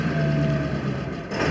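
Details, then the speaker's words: Idle dips low, nearly stalling, then surges back up with no throttle input on a 2000 Ford F-350 7.3 Power Stroke diesel at the number-three high-idle setting (1200 rpm); intermittent starts-and-dies and hunting idle, cause not yet found. "i'm i'm not touching the throttle and on high idle which is number three setting resetting is 1200 idle"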